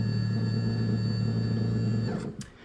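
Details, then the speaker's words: Nissan Figaro power window motor, replacement from a 300ZX, bench-tested: even smooth hum for about two seconds then spins down; much faster and quieter than the slow old one; normal window motor. "definitely see that it's much much faster much quieter and accelerates very quickly so new one's good"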